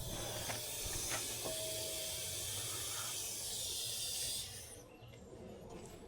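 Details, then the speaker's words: HVAC system during a nitrogen pressure test with Schrader cores removed: steady high hiss of nitrogen flowing into the lines toward the condenser, fading as the valve closes to check for an obvious leak. Normal nitrogen pressure-test hiss. "So, you want to just close it off real quick just in case you left any obvious leak, you probably hear it hissing a little bit right now."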